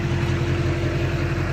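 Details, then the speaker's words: 2001 Duramax LB7 diesel pickup just after an Airdog II-4G 165 fuel system install gives a steady, even idle with regular pulses and no knocks or misses; it seems quieter, and it is due an oil change. "so yeah it does seem quieter though actually it really does and it needs an oil change so it's going to get quiet through or more quiet"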